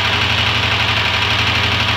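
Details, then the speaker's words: 1999 Renault 19 that overheated in traffic: steady idle with a faint even knock under a loud hissy top end; owner checks for broken piston rings and smoke, cause unconfirmed. "Herkese hayırlı cumalar olsun aracımız hararet yapmış motordan ses var şimdi baktım buna araba 99 model"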